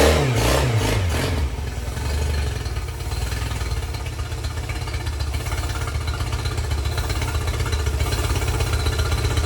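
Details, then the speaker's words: 2005 Yamaha 50 HP (T50) fuel-injected outboard, long sat, water mixed with its oil: after a few revs it settles to an uneven, lumpy, stumbling idle; leak-down test shows low compression on cylinder 4, possibly from corrosion, head gasket or a stuck ring. "but unfortunately she had some water mixing with her oil and she has lost compression on cylinder 4"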